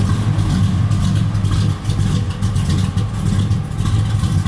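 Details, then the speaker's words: 1965 Chevrolet Malibu with a 350 V8 and 5-speed manual: deep idle with a loping, choppy rhythm and a steady beat, no knocks or rattles; a healthy engine running a lumpy cam. "It's got a nice cam in it. It sounds good."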